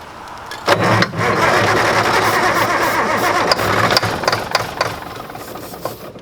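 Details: 1960s Mack diesel truck running on a big borrowed battery and ether, injectors not yet bled: turns over in uneven bursts about four cranks a second, slowing and sagging, never catching as the battery fades. Cranking, no start.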